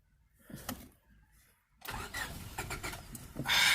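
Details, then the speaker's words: 1998 Honda Civic EX, D16Y8 five-speed, long parked: brisk, steady cranking with sharp pops but it never catches; good compression and spark shown, crank no-start, cause unconfirmed. "it's got good compression and judging by the fact that it's popping off it's got Spark makes me wonder why the hell was this thing parked"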